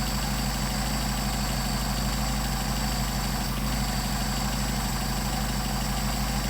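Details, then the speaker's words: Mercedes 190SL with Solex 44PHH carburetors idling slowly and steadily at about 600 rpm, deep slightly loping beat with no misses; factory idle is around 750 rpm, so idle is too low. "I've got it at about 600 RPM. And that's where this tachometer comes in handy. Here's 600. Factory says around 750, so we'll adjust them up to that point."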